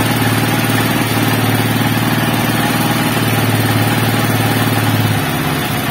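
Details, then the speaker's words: TMX 155 single-cylinder just rebuilt after a general overhaul for a very noisy engine, kicked over first to prime oil: steady idle, even low thump about three beats a second, no knocks or ticks. Healthy. "Ayos. Perfect. Napakaganda yung andar ng makina mga bro."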